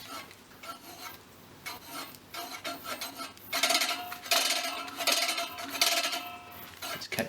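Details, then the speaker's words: Scott Bonnar 45 reel mower restoration, adjusting the reel height while turning it by hand: a dry scraping rasp about once a second. The reel is still catching the bottom blade at one spot, so that side is raised a touch; the aim is no contact noise. "still catching right about here. Raise that a touch."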